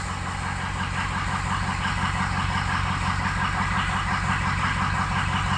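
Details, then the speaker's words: Diesel at idle with turbo spooling: steady clatter with slightly uneven pulse; injector balance shows a couple of low cylinders and number two over-fueling, suspected to be compensating for something; full injector set recommended. "we got a couple low ones two is over fueling which makes me think it's compensating for something"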